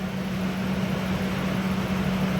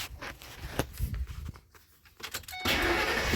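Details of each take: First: 2001 Ford F-150 4.6L with code P1506, after replacing a tube: a low, steady idle hum with no hunting, no longer stuck above about 1030 rpm and dropping toward the desired 736 rpm as it warms; idle fixed. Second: 2001 Ford F-150 4.6L Triton, warm engine, code P1506: cranks, catches, holds fast steady idle just over 1000 rpm versus desired 736 (should drop to 620–650); high idle.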